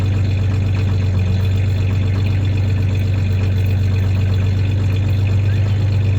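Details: 1993 Ford Ranger 3.0 V6 petrol idling with a low, slightly uneven beat and a little rev; slight misfire at idle, clanking is tie-downs in the bed, not the misfire.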